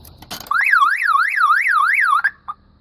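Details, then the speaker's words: 2000 Dodge Stratus 2.4L four-cylinder, negative battery cable reconnected after stereo replacement: loud siren sweeping up and down about four times a second, under two seconds, then stops; alarm tripped, apparently from the car resetting, cause not confirmed. "one thing I'm going to say is every time I do this with my vehicle the alarm goes off because the car's reset"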